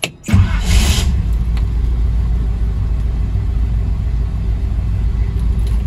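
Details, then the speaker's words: 1972 Chevy C10 small block on a cold morning, after installing a new upgraded starter and solenoid switch: quick, even fast cranking then steady low rumble; starter healthy, though owner thinks it might be catching slightly. "Okay, so first of all, this thing cranks over really fast."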